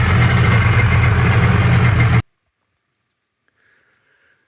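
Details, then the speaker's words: Rebuilt 1997.5 Sea-Doo GSXL, 951 two-stroke, during break-in on richer premix plus oil injection, on the ramp: steady even burble with strong low thump for about two seconds, then cuts off; clean idle though it rode unusually rough. "so all that sounds good there, but riding it, I'll tell you, it runs really rough and not usual rough for break-in."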